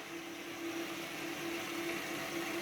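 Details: Baxi Eco Classic 24F turbo wall-hung gas boiler, two years in service: steady hiss with a faint wavering hum continues with the burner off; cavitation or a dirty heat exchanger is suspected, not confirmed.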